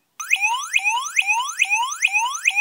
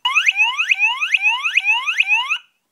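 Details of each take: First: Piezo element driven by an Arduino square wave from PWM pin 5 directly, without the dollar-store autotransformer: a thin, fairly quiet repeating chirp sweeping upward about twice a second; weak output without the step-up transformer. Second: Piezo element driven by an Arduino PWM square wave on pin 5 through a dollar-store autotransformer: loud, shrill chirps sweeping upward about twice a second; buzzer working properly and much louder than without the autotransformer.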